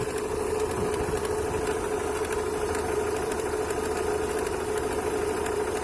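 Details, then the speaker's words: Opel Astra G 1.6 at cold idle after oil change to 5W40; loose, uneven metallic knock about once a second over the engine hum, from the lower left timing-belt side; owner suspects water pump impeller or bearing; engine knock at idle. "вот такой вот дебильный стук со стороны ремня грм"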